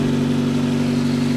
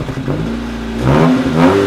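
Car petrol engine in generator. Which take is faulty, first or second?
second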